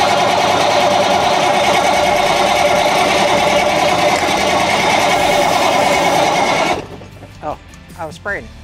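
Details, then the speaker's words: 1981 GMC cabover Big Cam diesel: steady loud cranking at about three beats a second with ether that never catches, then stops dead; suspected out of fuel on that tank's side. "i wonder if it run out of fuel all the way on that side i bet it did dude seriously let's put some fuel in and try that"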